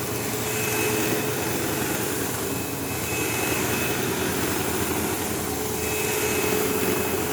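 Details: Sebo Automatic X5 upright vacuuming a living room: loud steady motor roar with a harsh buzz and thin high whine throughout, occasional belt-slip-like squeal; the belt was checked, and the brush roll is suspected, not confirmed.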